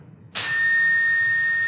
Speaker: you'll hear that whining noise that means that whining noise means that there's co2 escaping out from the cylinder